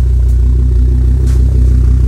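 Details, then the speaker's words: Volvo S60R, B5254T4, 249k miles, after replacing spun crank timing gear, IPD exhaust, reduced-engine-performance light from damaged front O2 heater wire: deep steady exhaust note, even pulse, no knocks or misses; runs smoothly. "that IPD exhaust sounds good it just running sounds good"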